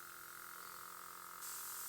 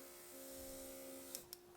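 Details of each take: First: Quivena airbrush after cleaning with alcohol: steady soft hiss of air over a faint, even compressor hum with no sputter; the airbrush works again. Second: Quivena airbrush compressor with clogged airbrush: steady low motor hum with a strained tone and a couple of sharp clicks; the clog is in the airbrush, not the compressor, and no air comes out.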